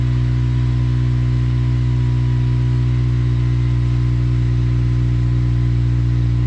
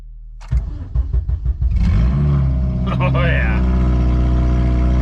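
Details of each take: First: 8th-gen Honda Civic Si (FG2), idling after a cold start to check exhaust volume and leaks: smooth, even, low idle hum with no puffing or ticking. Stock-sounding exhaust with no obvious leaks; normal idle. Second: 8th-gen Honda Civic Si (FG2) with the exhaust system removed and O2 sensors unplugged, check engine light on: cranks and catches, then a harsh, raw, very loud bark on each throttle blip. Open exhaust; sounds awful.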